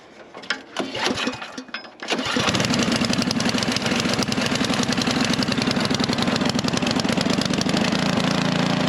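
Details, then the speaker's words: Craftsman SnowKing snowblower, sprayed with WD-40, half-filled with gas, on choke, not cold out. The small single cylinder catches after a couple of pulls and settles into a steady, even putter with no misses. Normal running. "all right so I'm gonna let that run for 10 minutes or so all right so of course this thing started up no problem"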